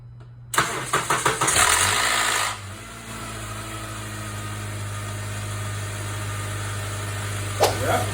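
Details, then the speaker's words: Honda Accord cold morning start: a loud clattering rattle for one or two seconds, then a steady idle; a worn VTC actuator on the intake cam that does not hold oil pressure. "when you crank the car in the morning you will hear a rattle a loud rattle noise it comes and it goes away quickly you know maybe it'll last like two one or two seconds and it goes away uh this is um a sign of a failed VTC actuator"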